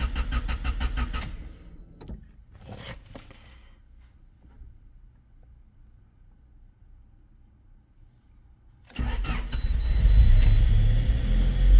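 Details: 1996 Honda Civic with a no-start and stalling condition; rapid, even cranking pulses catch briefly and die to near silence, then it fires again and runs rough. Cause not yet found. Cranking then stalling.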